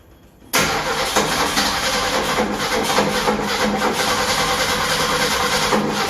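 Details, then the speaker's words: Ford inline-six donor engine in a Willys sedan delivery, first start after 15 years installed: fires at once but runs with an uneven, lumpy beat; timing issue suspected, and turning the distributor helped slightly. "sounds like i have a timing issue try this one it made it worse better a little more of a turn seemed to want to hit better"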